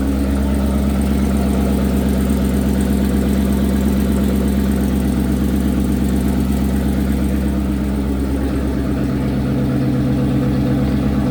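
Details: Datsun 240Z with Coyote V8 swap, first running after 1 year 8 months of work: deep, even V8 rumble holding a steady idle with a regular pulse, no knocks or ticks; running smoothly.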